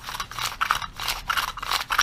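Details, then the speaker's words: Modified Chinese 80cc motorized-bicycle recoil pull starter pulling normally: quick zipping pulls, about three in two seconds, with light scraping or grinding said to be normal and no catching. "can see how smooth it is even though you still hear a little bit of grinding but that's normal"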